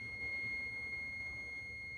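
A steady high-pitched beep holds for the whole test, so there's continuity straight through and the fuse is good.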